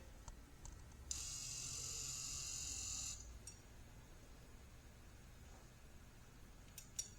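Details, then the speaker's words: 2010 Lexus HS250h with ABS and traction control lights, buzzing, code C1391: two-second high airy hiss over low hum as the pump runs, internal leakage through the ABS actuator valve back into the reservoir. "and I can clearly hear the leakage is up in that the ABS actuator valve"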